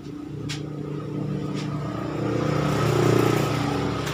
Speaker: Hai baik sedangkan semua kita akan coba hidupkan pakai dinamonya berputar dengan sempurna